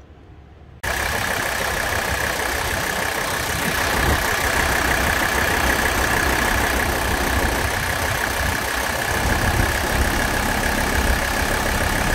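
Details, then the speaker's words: Mercedes OM617 diesel with high-output injectors, new return lines and fuel filter, after a Liqui Moly Diesel Purge injector cleaning: steady idle with an even clatter about four beats a second and hiss. Injector noise returned once purge ran out, milder than before. "once all of the diesel purge was definitely out of the system it got a little bit noisier again"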